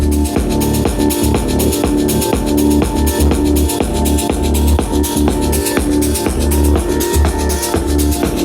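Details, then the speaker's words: Two Bose L1 Pro 16 speakers fed from a DJ controller's mixer at 75% with a hot signal: a loud dance track with harsh crackle and gritty edges on every kick; both speakers are clipping from lack of headroom. "Okay, so as I suspected, both of the L1 Pros are clipping."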